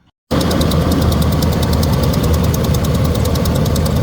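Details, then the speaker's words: V8 rat rod idling just after startup, following a distributor swap (old one grounded out) and timing rotated slightly forward for advance: deep even rumble, steady low throb, no misfire; now running on all eight cylinders after seeming to run on seven. "It cranked a little bit. I rotated it a little bit forward for an advance and she's going."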